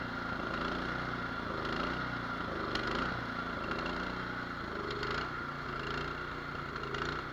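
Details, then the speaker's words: Cub Cadet 24-inch two-stage snow blower (824) with a 208cc engine, almost new and brought in for no-start. Started on choke, it idles unevenly, hunting up and down about once a second. Surge from a clogged carburetor idle jet, to be cleaned or drilled out. "Look at that. We're going to be drilling out the idle jet on this one, or we'll just take it apart and clean it."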